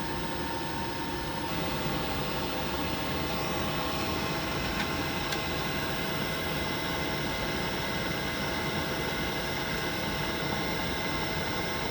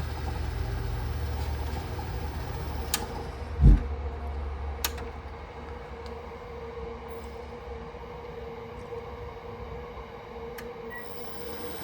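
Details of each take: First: Worcester Greenstar Ri boiler, gas valve turned anticlockwise while adjusting air/gas ratio: steady fan hiss with no burner roar building — burner not igniting after adjustment, further tuning needed. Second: Worcester Greenstar Ri boiler fixed by adjusting air/gas ratio, no parts; click and thump as burner lights, then steady roar and even hum on minimum fire with alarm sounding; burner running normally.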